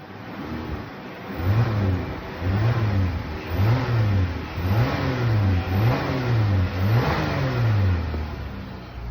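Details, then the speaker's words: 2014 Dodge Caravan after repair for a whine under acceleration: repeated rising and falling revs with a smooth note and no speed-following whine; fluid is good and the check engine light was cleared. "Yeah, if y'all heard that, it's definitely not making a noise."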